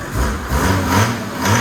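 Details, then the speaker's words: Datsun 240Z turbo diesel swap, starting after glow plug warm-up following crash repairs and intake mods: fires right up into a steady low diesel clatter with an even, slightly lumpy pulse, no knocks or misses. Normal diesel idle. "And I'll let that run for a few seconds, and it should fire right up. Started right up."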